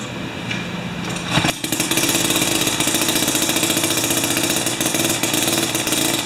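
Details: Jiffy 30 3HP two-stroke ice auger on 30:1 fuel, after repositioning the carburetor diaphragm: catches after a brief stumble, then runs fast, buzzy and slightly uneven without backfire; runs, though it still backfires at full rpm.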